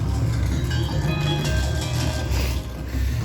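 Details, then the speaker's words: Mixing console with individual channels switched to pre-fade on auxiliary outputs: heavy, boomy, clipped music keeps leaking through with faders turned down; hugely distorted signal bleed, cause unknown. "it added a whole heap of signal which was still escaping although the faders are turned down [Music] and it's hugely distorted"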